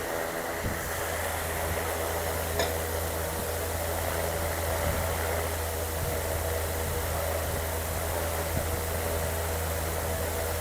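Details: BLDC air cooler fan motor, rated 80 W and measured drawing 84 W, running at high speed around 1700–1800 RPM: steady even whoosh over a low constant hum, no knocks or rattles; normal running.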